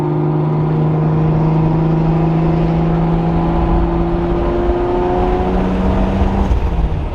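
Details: Nissan 350Z with 2JZ swap and brand new CD009 transmission, driving during break-in with tires possibly slightly low: a strong engine note climbs smoothly with speed through the gear. No whine, clunk or grind; the drivetrain sounds healthy under load.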